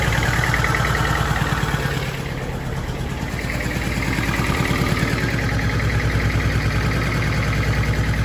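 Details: Honda S600 after wiring loom work, running in the dark to look for shorting: lumpy idle with a regular stumble about three times a second, not on all cylinders; owner suspects excess fuel pressure or ignition, number 1 distributor cap contact worst.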